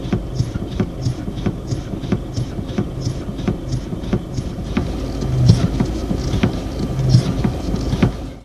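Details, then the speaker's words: Hydraulic power steering (DHB steering box) knock induced by rapidly reversing steering wheel direction: sharp regular clicks about three a second over a low hum; not a fault when originating in pinion-rack meshing and valve body internal stops. "a bancada é um ruído mecânico induzido pela mudança rápida no sentido de giro no volante de direção"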